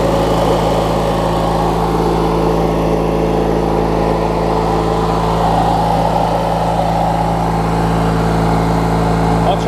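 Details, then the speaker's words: Craftsman LT1000 riding mower with a swapped-in opposed-twin engine, running after refueling and restarting; steady, even low thrum with no stumbles or dropouts throughout; twin idles smoothly, normal healthy idle. "it runs good here"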